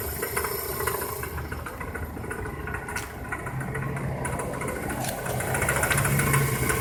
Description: 1999 Toyota Corolla - rattling timing chain